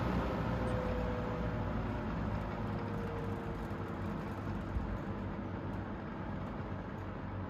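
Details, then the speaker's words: 3-speed fan running on high, motor previously repaired after falling apart; steady low hum under rush of air, worn motor humming louder than it should, which owner attributes to its many hours of use. "And this one's got a real loud motor hum because it's got so many hours on it."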